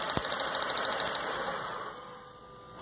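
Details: 2006 Stratus 2.0 with misfire, power loss and shaking: fast dry ticking snaps at steady rate for about a second, then fading; a spark plug wire is arcing to ground, fix is new plug wires.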